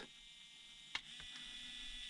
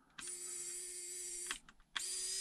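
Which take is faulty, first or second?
first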